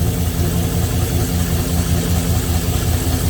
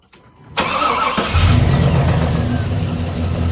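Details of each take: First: 6.0 LS V8 just after replacing spun rod bearings; was noisy until oil pumped up: now a steady, even low idle with no ticking or knocking. Normal idle. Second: 6.0 LS V8 after over-revving with raised rev limiter: cranks, catches, settles to uneven idle with faint dull knock underneath; owner suspects bent rod number 7 with spun bearing, rod knock, later confirmed spun rod bearings.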